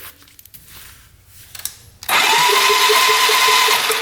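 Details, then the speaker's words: 1997 Polaris Magnum 425 6x6 ATV cranking during compression test, still zero psi, before adding oil to check rings versus valves; starter whine smooth with no chugging beats; owner suspects bent valve; a tight valve was later found. No compression. "yeah we're getting zero let's see what happens when we put oil in it"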